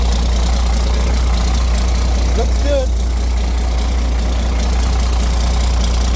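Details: Roadtec paver diesel after repair of exhaust/air intake and fuel filter change (previously sputtered and shut down), warming up: steady deep thrum, even idle with no misses, coughs or stumbles; stays running.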